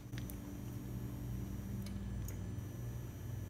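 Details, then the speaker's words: Lester E-Series 48V SCR golf cart charger on 120 V, testing on a 48 V battery: low transformer hum cuts on and off as the relay pulls in, caused by a loose power cord connector; fix is replacing the cord/connector. "you can hear the transformer cutting on and off this is gonna be a relatively easy fix I just need to be the replace the connector of the Court itself"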